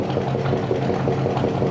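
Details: 1965 Chevy pickup V8, just revived: smooth even low burble with no misses or knocks at idle, getting quieter as it runs; one exhaust pipe stays cold, all eight cylinders uncertain.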